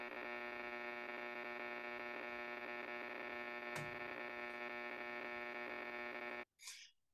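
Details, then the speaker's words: HF shortwave receiver picking up loud, harsh power line interference from a power pole near the home, about S9 plus 10–15 dB, a steady pulsing rasp with some variation; man-made RFI buzz raising the noise floor. "and you can kind of see that it's pretty strong in this case it's has taken a power pole near my home some years back it's about S9 plus 10 or 15 DB very strong you can hear some variation in it"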